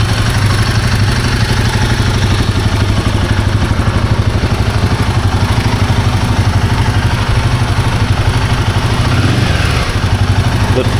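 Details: Himalayan 450 Sherpa at steady idle, with the timing chain tensioner being swapped as a possible fix: a fast, light top-end ticking of about two a second. Owner suspects the valve train or shims, which have not been checked yet.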